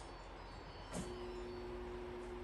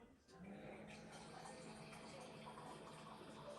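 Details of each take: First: Frigidaire refrigerator water inlet valve getting current: a click, then a steady low electrical buzz with no water flowing, so the valve is clogged and needs replacing. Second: Frigidaire refrigerator water dispenser after water inlet valve replacement: steady rush of water with faint low hum, then trickling; dispenser fills normally, repair worked.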